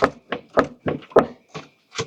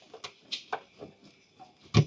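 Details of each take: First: Nissan Murano, body pushed up and down by hand with the windshield cowl removed: sharp dry clicks, about four a second, one with each push, from a strut top nut apparently left hand-tight from the factory; tightening it stopped the click. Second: Nissan Murano front suspension bounced after tightening the top strut nut: soft thumps and faint squeaks, the earlier strut click now gone.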